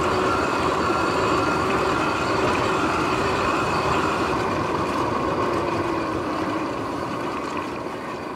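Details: Sur-Ron X electric bike riding in the evening, before bearing replacement: steady droning whine under road noise holding with speed, from worn noisy bearings.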